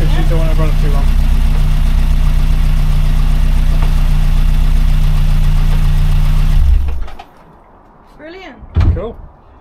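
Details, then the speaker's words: Rover P6 after replacing faulty timing chain tensioner, at lowered idle, run briefly without cooling system: smooth, even idle with no chain chatter or rattle before switch-off; no more rattly chain. "sounds lovely yeah I can't hear the chain to F I can't I can't hear the chain at all"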